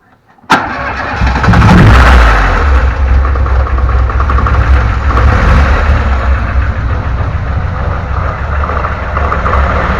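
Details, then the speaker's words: VAZ 2106 petrol engine: cranks, catches and idles with a light, fast knock about four a second from the timing chain area. This is timing chain knock, to be fixed. "а вот такой вот звук появился в районе цепи будем устранять"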